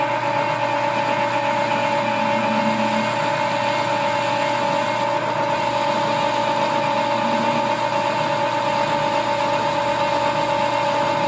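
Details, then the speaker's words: Lathe with dual belt drive through the gearbox, machining a spring perch sleeve; steady drive hum with faint rhythmic scuffing under a heavy cut from worn drive belts rubbing, not tool chatter. "a little bit of rubbing you hear it's not chatter on the tool this has a dual belt drive that goes through the gearbox and those belts are desperate need of repair so when it gets in there starts taking a good bite they get a little noisy"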